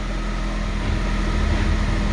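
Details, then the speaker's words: Salvage 2019 facelift Fiat 500 with 21,500 miles, idling: a steady low rumble and constant drone because the driveshaft popped out at start-up and is spinning loose. "So, that's not good. Hear that? That's the drive shaft spinning around."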